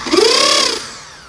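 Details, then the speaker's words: Bosch drill brought in for strange noise, switched to plain drill mode: brief drill burst with a rough buzzing edge as the hammer action stays engaged, not switching out of impact; cause found as a worn spindle tip. "oi testando aqui para você ver ó vou mudar aqui para furadeira não é para fazer o impacto e"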